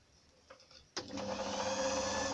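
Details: Chaika sewing machine after its electric motor belt tension was adjusted: after a few handling taps it starts and runs with a smooth, even whir and steady pitch; sounds healthy.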